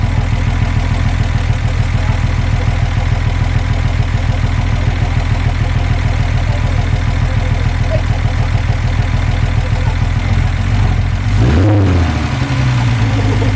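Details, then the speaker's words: Engine on first start after rebuild, straight pipe: loud open-pipe idle with even regular pulse, slight valve tick expected during break-in; normal idle. "now you got to keep in mind that the valves are going to be a little ticky uh due to the fact that it's it's got to break in everything that's in there but it sounds great you know there is a tick and that's normal"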